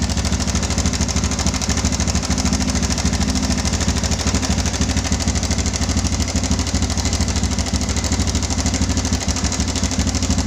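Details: Yamaha Bison motorcycle modified as a bobber, idling: harsh, fast metallic rattle over the idle beat; owner feared connecting rod damage needing an engine teardown, but it was a slack cam chain slapping from a broken cam chain tensioner.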